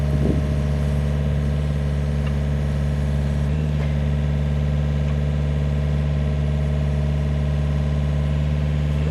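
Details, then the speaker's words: Vineyard post-driving machine working at high engine revs with its pneumatic hammer pushing the steel point to drive posts about 70 cm into the soil: loud, steady deep drone with strong hammer blows, no misses; running normally. "Ovviamente la macchina, come potete sentire, è bella bella rumorosa quando va a picchiare molto forte, per cui un po' il rumore del motore, che deve stare abbastanza su di giri, un po' questo rumore molto forte del martello pneumatico,"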